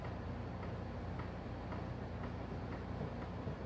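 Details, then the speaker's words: 1988 Honda FourTrax 300 4x4 ATV, front wheel raised, grabbed top and bottom and rocked: faint dull clunks about twice a second from play in a worn front wheel bearing, previously replaced incorrectly by the prior owner. "if you hear that clunking noise that's the play and you're supplying your wheel burns and you can feel it"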